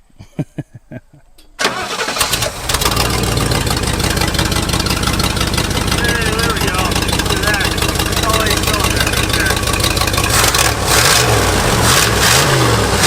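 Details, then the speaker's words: 1971 Lincoln Continental Mark III after cleaning spark plugs and slightly widening their gap: a few cranking pulses, then it catches and settles into a steady, even idle with no stumble; runs much happier. "that's a lot happier okay now that that's fixed let's move on to the brakes"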